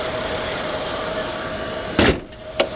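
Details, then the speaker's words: 2000 Mercedes-Benz C240, six-cylinder petrol, 76,000 km: smooth, even idle, ticking along nicely with no oil leaks, then a couple of sharp handling knocks near the end; normal idle. "this one's in excellent order you can probably hear that it's ticking along nicely it's got no oil leaks"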